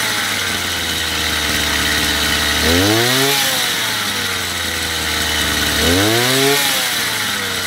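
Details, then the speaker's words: Chinese two-stroke brush cutter after carburetor adjustment, with the small screw set to about 9,000 rpm: a steady high buzzing idle, then two clean blips rising smoothly and dropping back evenly. Normal running, adjustment finished. "После того, как отрегулировали, в принципе, настройку карбюратора можно считать законченной."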